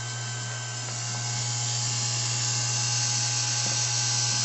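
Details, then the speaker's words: Small DC servo motor driven through an H-bridge with PIC-generated PWM at 90% duty cycle, faster than at 10% and 50%: steady high whine with a faint even buzz, running smooth. "And now it's going faster. Again, you could probably tell by the sound of the motor. And this here, as you can tell, it's 90%."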